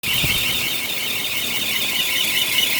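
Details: 1993 Bentley Brooklands: shrill continuous squeal up high from the A/C compressor area with little engine rumble beneath; owner suspects a bad A/C compressor clutch bearing, unconfirmed.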